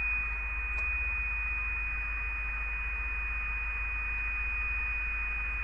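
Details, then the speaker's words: Kenwood TR-751 VHF all-mode transceiver under repair, signal generator injected into the 10.656 MHz IF in USB mode: clean steady high tone over a faint low hum, receiving the signal, RF gain working; normal receiver tone output. "that the radio is receiving signal from gener generator. RF gain is working."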